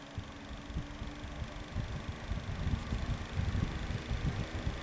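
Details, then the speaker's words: Apparently unused TradeWinds 10-inch box fan on high: steady fan rush with light, uneven ticking about once or twice a second; clicking noise of unclear cause. "Okay, we'll start off on high. It's making like a clicking sound."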